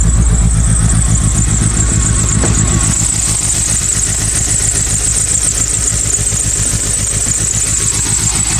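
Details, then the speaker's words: Mitsubishi Evo 8 engine running with a hard, regular rod knock of about four per second over the running note. The blown engine is to be removed from the car. "As you guys can hear, the engine is not in the great shape, does have a rad knock, so today I am going to remove the engine out of the car."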